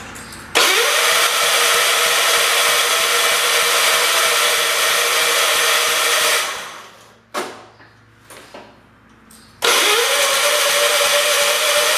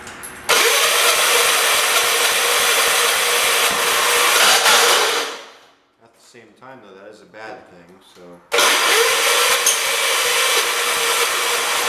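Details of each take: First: John Deere 212 lawn tractor, engine previously caught on the starter: two long cranking spells with the starter spinning steadily while the engine barely catches, firing only when extra fuel is added; fuel delivery suspected, not confirmed. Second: Small single-cylinder engine on a John Deere 212 tractor, run choked at low throttle while sorting fuel delivery; steady even beat, cuts out briefly then picks up again, no knocks; sounds healthy.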